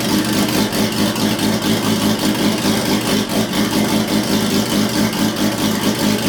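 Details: Built Nissan RB26 in an R32 GTR (fully ported/polished head, 260 Tomei cams) idling with the exhaust open: loud raspy, slightly uneven burble about two pulses a second, no knocks, sounding like a bridgeport rotary. Normal open-exhaust idle.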